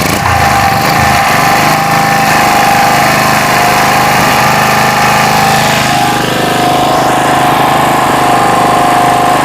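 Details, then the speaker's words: Generator unused for a year, after the carburetor work, fuel flow check and start on choke: running loud and even with a steady hum and a smooth speed change midway, no sputtering or surging; idling normally, repair successful. "Oke teman-teman, di sini gensetnya sudah hidup normal tanpa ada suara redet-redet di gensetnya, dan stasionernya itu seperti biasa normal sekali, dan saya nyatakan berhasil sesuai dengan trik yang saya lakukan tadi."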